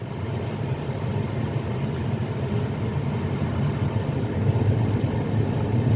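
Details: 2016 Jeep Patriot after replacing the dash blend door actuator that was clicking: steady low engine rumble with no ticking or clicking from the dash; fixed, actuator quiet.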